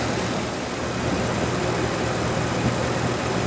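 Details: 1997 Dodge Dakota 5.2L V8 2WD idling after water pump replacement and a petcock o-ring fix, warming up while waiting for the thermostat to open; a steady, even low rumble with no knocks, ticks or squeals; a normal idle.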